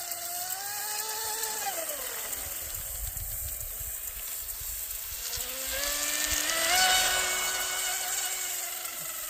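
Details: Wooden shrimp rigger RC boat on first water run, TP Power 2967 5250kv motor, Shark G2 100A ESC, modest prop: high whine climbs, dips away, then swells to a steady full-throttle scream; motor and prop pulling cleanly.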